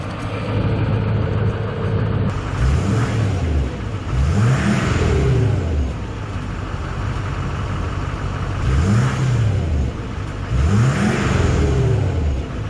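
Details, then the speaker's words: 2007.5 GMC Sierra 2500HD LMM Duramax diesel after MBRP 4" filter-back exhaust install with no muffler, mic next to exhaust; clean revs rising and falling with turbo whistle more audible, previous exhaust rattle gone, healthy response. "dude i think it sounded better when you hit the when we're hitting the gas you know it sounds better yeah i think it does i think it sounds way way way cooler now with the uh with no muffler because now you can actually hear the turbo a lot more"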